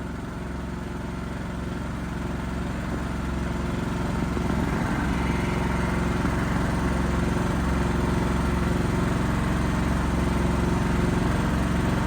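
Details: Backup generator running during monthly life-safety test, small engine holding steady even drone at constant speed, no hunting, misfire or knock; normal healthy running.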